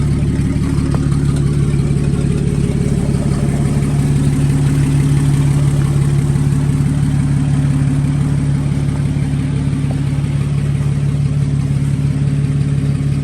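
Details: 1954 Fargo half-ton flathead six idling after piston ring install and valve adjustment: steady, even low idle, regular beat near three per second, no knocks or misses, good oil pressure; to be run more before an oil change.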